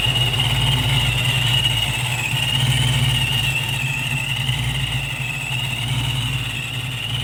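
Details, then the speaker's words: Supercharged 306 Ford Fox-body Mustang with new Anderson N-51HR camshaft: lumpy idle drifting slightly up and down rather than holding steady, hitting harder than before; idle hunting, timing still off and needs tweaking. "needs to be tweaked on it right now you can hear it slightly kind of up and down but it's definitely hitting harder than it was for sure"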